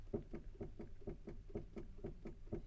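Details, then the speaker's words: Motorhome front left: about four dull knocks a second as the steering wheel is wiggled; first blamed on the track rod ends but later found to be normal steering play; the actual fault was the front wheel bearings on both sides. "Actually, when we got home, we did take another look at the steering and the wheels and whatever, and it wasn't the track rod ends at all. In fact, that knocking is actually normal."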